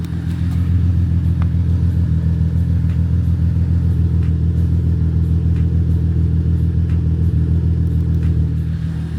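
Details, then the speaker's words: Supercharged Holden VX Calais after full service and spark plug lead check for a misfire: deep, smooth, even rumble with a steady beat and no stumbles or dropped pulses; running normally with no misfire. "Seems to be running fine. See if it sounds like it's misfiring."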